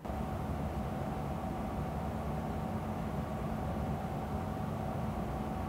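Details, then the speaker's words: Nanlite Forza 500 LED light at full output, fan noise recorded from about 50 cm: steady even fan whoosh with low hum and faint fixed tone, no ticking or rubbing; normal fan noise at full power. "먼저 포르자 500에 풀 광양 팬 소음 입니다"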